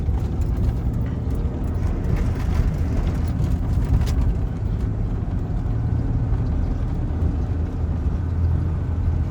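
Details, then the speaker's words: 2000 Ford Ranger 3.0L V6 idling super high with no throttle, deep drone surging and revving on its own; fixed by cleaning the dirty mass air flow sensor, throttle body and idle air control valve. "Alright, so my truck is idling super high."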